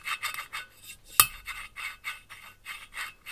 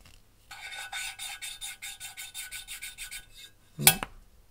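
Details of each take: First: Mercedes OM 646 821 diesel cylinder head, first exhaust valve before lapping: harsh gritty rasping strokes, roughly three a second, scratchy not rustling; the seat is rough and unlapped, and should turn to a rustle once lapped. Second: Mercedes OM646 cylinder head valve lapping: even fine rasping strokes about five a second with a smooth rustle, no catching, then a knock; seat properly lapped in.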